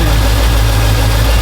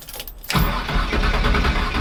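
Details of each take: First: "Iron Man" truck idling after transmission reinstall; after a burnout it nearly stalled and skipped. Now a low, steady rumble with even beat and no skipped firing; sounds normal, though timing may still need a little adjustment. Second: Truck that nearly stalled after a burnout following a transmission reinstall, tried after one wire was replaced: starter grinds, then a rough, uneven run that cuts out. Hard start; owner suspects ignition timing is off, distributor to be pulled.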